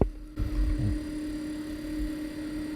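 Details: iTechworld iFrost 40L 12V portable fridge compressor after durability testing, still set to -2: a thump at start then a steady, even mid-pitched hum with low throb; running normally.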